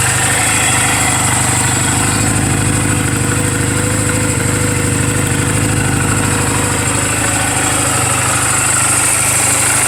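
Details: 2007 Honda Rebel 250 single at 11,456 miles, idling in neutral just after a valve clearance adjustment: a smooth, even thump at steady idle with no ticking or misses. A healthy engine.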